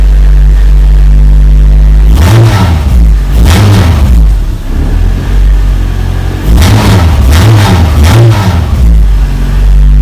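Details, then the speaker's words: Honda Civic EM1 just after an engine install, with a new fan and coolant, fitted with an ultra-light aluminium flywheel (about 6–8 lb). Idle snaps up in quick, sharp revs that fall straight back: a very responsive, healthy free-revving engine. "Holy crap, that thing is responsive. So she runs."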